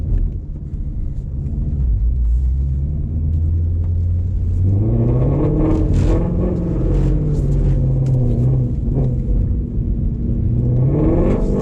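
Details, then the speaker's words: Ford Shelby GT350 in the wet, track mode, launching in second gear: a heavy low rumble with a rough, pulsing shudder as revs climb. A violent shake on launch, cause unknown to the driver. "You guys can just hear that violent shake. Not sure what's up with that. It just does not want to let it go."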